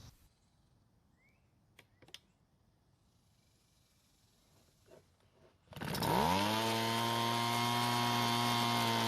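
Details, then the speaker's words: Two-stroke blower started after fixing its leaking gas tank by replacing the fuel and return lines to the carburetor: handling noises, then it fires and settles into a steady high-pitched drone with no surging, running normally. "finally let's put some fuel into the tank and start it up and check for leaks or any running problems"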